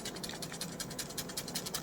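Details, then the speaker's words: Wireless headphones rattle when the head is turned sharply: light, scratchy, irregular clicking inside the earcup. Suspected causes are buttons lacking springs or rubber, or unsecured wires in the housing; the fix is fixing the buttons with masking tape. "было ли такое Ты поворачиваешь резко головой в наушниках А они"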